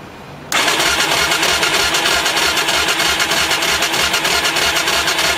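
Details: Motorbike that cut out while riding, cranked after recharging the battery; voltmeter reading 12.96 V drops and jumps back during cranking; starter spins steadily at about three pulses a second but engine never fires; crank no start.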